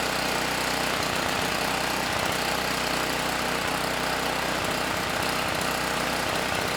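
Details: Campbell Hausfeld GN503100AC 5000 W generator, 9 hp Briggs Vanguard, after fitting correct 25 µF capacitor: steady run with slightly lumpy beat; engine and generator good but clone carburetor way too rich.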